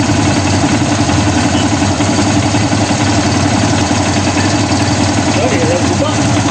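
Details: Kawasaki Barako, sat unused for months, would not start; after battery charge and idle lowered, charging 13.2 V: even steady single-cylinder idle, smooth unbroken beat, no misses or rattles; normal idle.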